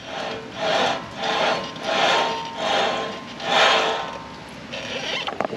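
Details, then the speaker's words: Shop truck front hub, under two years old, turned by hand after a grinding noise in the front end: rough, gritty grinding in regular pulses about once a second. The front hub bearing is worn out; the owner suspects cheap parts. "that's one side replaced them less than two years ago already worn out what do we got cheap Chinese Parts"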